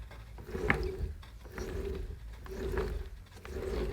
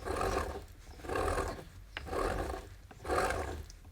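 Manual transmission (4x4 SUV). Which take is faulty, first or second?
second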